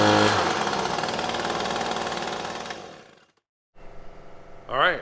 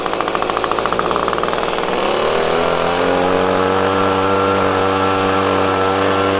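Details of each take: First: Echo PB-250LN handheld two-stroke gas blower that had been cutting out and bogging, after fuel change and carburetor adjusting-screw adjustment: high busy buzz holds steady revs then drops off cleanly, no bogging; normal running after carburetor adjustment. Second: Echo PB-250LN handheld two-stroke blower after fresh fuel mix replaced old fuel: revs climb, then sag and waver instead of holding under throttle; bogging persists, carburetor needed adjustment.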